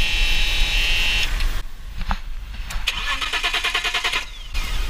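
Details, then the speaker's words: BMW M3 E36 3.2L SMG, abandoned ten years: steady whirring crank with fast uneven chug, never catches; suspected bad contact, fuel pump runs only intermittently. "Je vais essayer de mettre un petit coup de démarrage. Non, là j'entends pas la pompe tourner. Il doit y avoir un faux contact."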